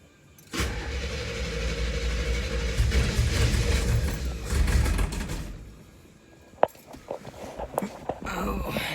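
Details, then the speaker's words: 1974 Camaro, built 350 V8 with mild cam, not started for a long time and easy to flood, first start: cranks, catches, runs unevenly with lumpy stumbling beats before dying; oil pressure about 50. Rough hard start after storage. "it's been quite some time since it's been started"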